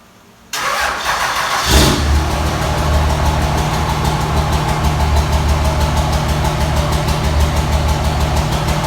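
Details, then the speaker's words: 2005 Cummins 24v common-rail diesel with about 8-year-old 100-over injectors and 6680 Silver Bullet turbo, before top-end rebuild: it cranks cold, catches and settles into a clattery, slightly uneven idle; slight miss at idle. Owner also notes a valve-train chirp and white-smoke haze. "I'm gonna crank it up so you guys can hear, what it sounds like right now. It's got a slight miss at idle and everything, and then we'll jump into the next step."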